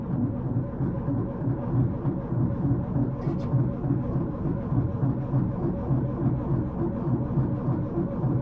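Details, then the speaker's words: 1931 Ford Model A Coupe after 4–5 years storage, points filed, fresh gas and battery, spark confirmed: steady low churning about three beats a second with no firing; cranks without starting, carburettor looks flooded. "Well, it certainly looks very flooded. I see a lot of fuel here, so that valve is going to be turned off, and maybe that's the problem now. It's just too darn flooded."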